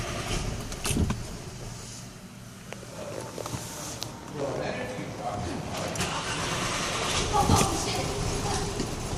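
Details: 2012 VW Eos that won't start after running 30 minutes then sitting off for 15, hot restart attempt: keys rattle, then the starter cranks in short uneven bursts but the engine never catches.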